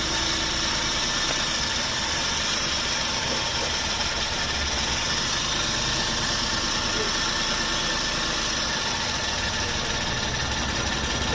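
Steady, even idle with no stumble or misfire; the engine holds a smooth, settled beat and sounds healthy.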